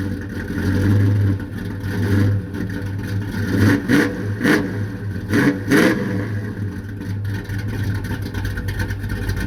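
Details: Chevrolet Impala V8 at idle: deep idle that surges and stumbles unevenly with lumpy swells instead of a steady beat; rough idle, cause not evident.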